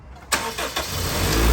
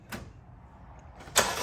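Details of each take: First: Honda Civic, low battery reading 10 V, started with a jump pack attached: brief cranking, then catches cleanly into a steady, even idle with no stumble; normal start, and the alternator is charging at about 14.1 V. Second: Honda Civic at start-up: a short, sluggish crank with a slight hesitation before it catches and idles. Slow cranking from a weak battery that needs replacing, with corrosion on the battery.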